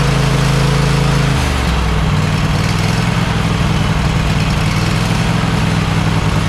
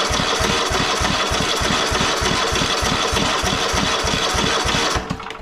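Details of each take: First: Cub Cadet XT1 LT46 lawn tractor after oil pan reseal, head gasket replacement, new carburetor and a valve adjustment on one head: steady, even low drone that settles quickly after a speed change and holds without hunting. It is running normally. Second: Cub Cadet XT1 LT46 lawn tractor, just started after an oil and filter change and a new fuel filter: small engine speed hunts unevenly at about three pulses a second instead of holding steady, so the governor needs adjusting.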